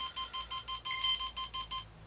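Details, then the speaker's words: Quadcopter speed controller connected to KK board output one, battery just connected: rapid, steady high beeping about five a second because the throttle signal is outside its range. "so we'll power that it up and as you can hear it's beeping because that's outside the range"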